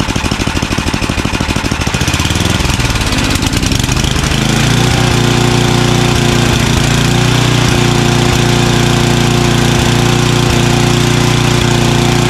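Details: Craftsman 29" snowblower, 9HP Tecumseh single-cylinder, after carburetor cleaning with a blocked pilot jet cleared: settles after a few seconds into a low, even idle at the bottom of idle, no hunting or surging.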